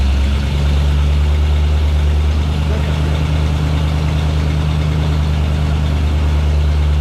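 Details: 1989 Jeep Wrangler YJ on newly installed ACES EFI, timing set at 15° advance, IAC linkage sticking slightly and due for adjustment; deep even steady idle, no misses, knocks or hunting; normal idle.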